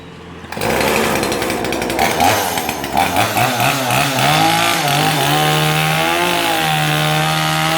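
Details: New Kanto KT-CS1700 two-stroke chainsaw in a cutting demo after assembly; it starts easily and accelerates without bogging: snarls up to a high, even pitch that dips slightly and recovers as it cuts wood. Runs cleanly and strongly.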